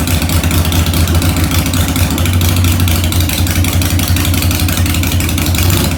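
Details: 2001 Harley-Davidson 1200cc V-twin, 19,866 miles, in neutral, needing some work, idling in the garage after starting: an even, loping low-pitched idle with a steady beat and no knocks or misses; normal idle.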